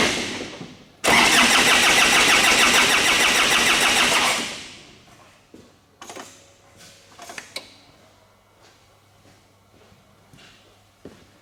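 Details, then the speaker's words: 2009–2010 Ford Ranger / Mazda BT-50 3.0 turbo diesel cranks evenly for about three seconds without catching, with misfire and fuel-leak codes stored and low fuel pressure found; crank, no start. "The car doesn't start. I try to crank it. Nothing's happening."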